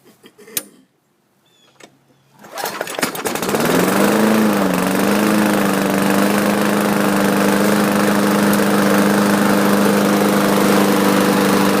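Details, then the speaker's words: Craftsman 4.75 hp mower, Briggs & Stratton carburetor, sat over a year, primed before start: catches after a few seconds and runs steady and even; smoky startup from overfilled crankcase oil. "so so if you could see all the um smoke coming out of the muffler it did start by the way so that's a good thing"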